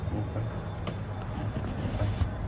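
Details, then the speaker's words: Getra meat slicer after repairing faulty cable (was totally dead): steady low electric motor hum, no rattle or stutter; running normally. "teman-teman ternyata mesin ini sudah hidup dan permasalahan hanya pada kabel ini sudah memutar"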